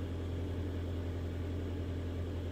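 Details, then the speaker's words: Mitsubishi Outlander 2014 4B11, about 196,000–200,000 km, CVT, front-wheel drive, first start after cylinder sleeving to standard size for scored bores and cold knock: low, smooth, quiet idle, steady pitch, no knocks or ticks, no errors; healthy. "Ну что с Богом давление-то пошло автомобиль заработал работает ровненько работает тихо никаких ошибок ничего нет главное"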